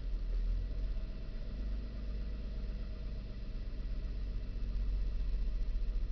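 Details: 2000 Nissan Xterra, sound recorded at the dash while shifting through reverse, neutral, then drive: low idle whose beat wavers and surges slightly instead of holding steady; owner believes the RPMs are not correct; rough idle, cause unclear.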